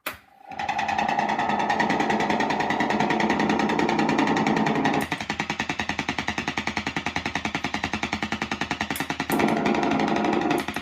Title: Fender Deluxe Reverb Ticking Noise